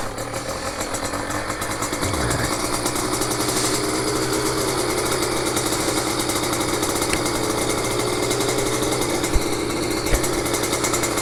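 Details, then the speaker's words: Small-engine motorcycle idling cold while warming up: busy rapid chuffing idle, even note, no knocks or misses, rpm slowly dropping to settle; normal warm-up idle. "guys, we're warming up the bike. I said you want to give it a minute. You hear the RPMs are dropping. I don't know if you can hear that on the video, but the RPMs will slowly drop and settle into where it should be."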